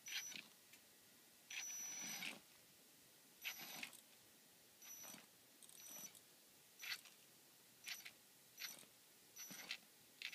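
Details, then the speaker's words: Tekin ROC 412 brushless motor on short throttle bursts: thin high whine with gritty knocking stutter that comes and goes; cogging, before a firmware downgrade attempted as the fix. "okay so here again motor still knocking as you can hear right now I'll just go ahead a bit comes back goes away comes back goes away"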